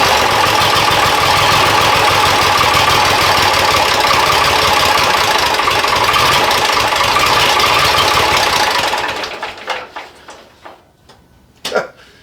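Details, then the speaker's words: Diesel engine idling at about 46°F after an injection pump timing check and adjustment for a miss/hesitation: uneven knocking beat about four per second, still rough, then falters and dies as fuel runs out because the fuel was left off. "it seems a little better but still not quite there I might need to just let it warm up"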